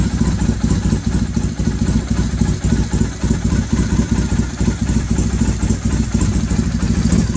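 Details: Freshly rebuilt Bonneville twin, just finished and awaiting a test run (may need rejetting): it idles with a quick, even thump of about three beats a second, crisp and steady, no knock or miss. Normal running.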